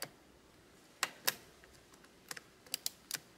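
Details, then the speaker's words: Shimano RSX bicycle gear shifter from a yard-sale bike that would not engage, after generous penetrating oil: crisp, sharp ratchet clicks in small irregular bursts as the lever is worked, pawl catching properly again. "Ouais, on entend le cliquet là. Donc je pense que on est sur la bonne voie."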